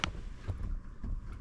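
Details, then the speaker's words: 2014 Mitsubishi RVR 2.0 L, wheel rocked horizontally: dull low knocks about twice a second from play in the lower ball joint, fixed by replacing the lower control arm with integrated ball joint; ball joint play clunk. "And today we will be replacing the lower control arm for this car, because if you move this horizontally, you can hear there's a play."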